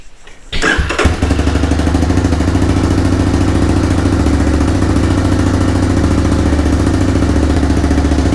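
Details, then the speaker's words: 1985 bike (Big Red) after restomod completion, cold snowy morning, choke on, fuel just restored: short starter whirr, lights dim while cranking, engine catches at once and settles into a steady even idle; normal start and idle. "come on baby is that how it's supposed to sound lights rights dims it worked I think that's how the starter sounds just is what it is it's a 1985"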